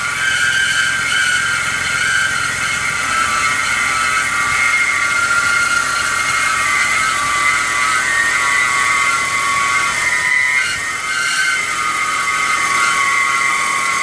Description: Bmw e46 squealing sound from engine compartment when cold. Update: Resolved the issue by replacing the belt pulleys.